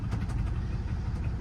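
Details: Truck at salvage auction, listed as a no-start, just got running: rough idle with a deep, steady knock keeping time with the engine, heavy in the low end; no smoke seen, cause unconfirmed.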